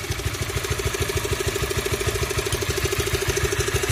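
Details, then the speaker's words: 2016 Honda CB150R, 21,433 km, cold engine at idle: coarse clattering knock about three times a second on exhaust beat, source unknown; owner suggests tensioner easily loosens, not confirmed; rough engine noise when cold. "Nah, suara kasar yang sering dikeluhkan pengguna CB itu seperti ini ya. Ini ketika mesin masih dingin, seperti odok-odok gitu."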